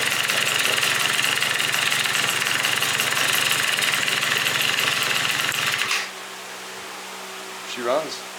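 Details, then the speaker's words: Yamaha Vino two-stroke scooter with 70cc big bore kit after replacing the leaking exhaust gasket: buzzy, high-pitched steady running for six seconds with no puffing or ticking, then shut off; normal running. "Well, now that we know the motor runs and we got rid of the parts that we're not going to be using today, we have our remainder parts for the CVTs."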